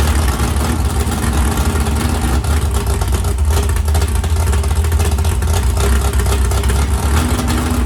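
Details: 769hp 409ci Ford 351 Cleveland on engine run stand, after starter grinding fixed via bracket without bell housing: deep, even drone held steady, no knocks, misses or whine; healthy running motor.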